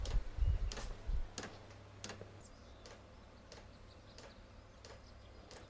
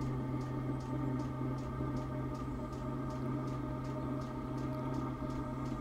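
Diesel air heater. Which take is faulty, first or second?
first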